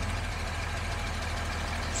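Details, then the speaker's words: 1975 Jaguar XJ6 with a leaking head gasket, restarted after sitting over two months on probably old gas, warmed up but still on the choke: a deep, even idle with no misfires, running on all cylinders. "But you see, it's pretty smooth. It's not misfiring. I mean, it probably could use a little bit of a rev to clear out, because it's still been running on a choke, but it is definitely running on all cylinders."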